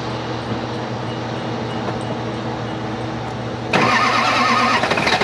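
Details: Duramax diesel, driven 4 gallons low on coolant, overfilled; at start-up steady idle then loud hiss as coolant vents from cap pressure relief; very likely blown head gasket, EGR cooler still to be checked.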